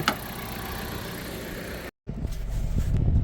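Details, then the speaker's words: 2014 Jeep Patriot, overheating and transmission bucking complaint, after fixing badly corroded battery terminal connection, road test under light load: even engine hum, no knocks, misses or squeals; temperature mid-gauge, no bucking, idling better, normal running. "all right so far so good our temp is staying about right in the middle which is perfect and I do not feel that bucket right now in the transmission"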